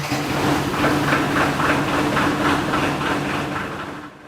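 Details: Air 40 SCBA fill trailer diesel started after 15–20 second preheat and fuel solenoid click; catches and settles into an even, regular chug about three and a half times a second, then fades; normal, healthy idle.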